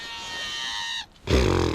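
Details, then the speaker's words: Ozark Trail baitcaster reel (6.3:1 gear ratio) casting: a high, steady screech with a bright ringing edge for about a second, then cutting off; the angler says it doesn't sound good, cause unclear. "I cannot hook that with the right-handed reel I just can't I don't know why but it it that does not sound good"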